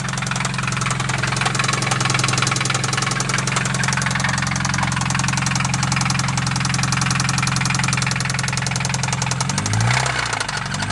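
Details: Acura RSX engine after being driven without oil, idling with a deep, steady rod knock that gets louder with a few quick revs.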